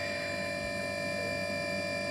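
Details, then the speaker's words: Brushless motor with propeller load in a box on AM32 firmware 1.83 RPM speed control (PID holds set rpm): clean steady high-pitched whine holding one pitch without wavering; running normally at fixed speed. "the motor running at inside this little box here i've got a a motor and propeller just to give it a bit of load"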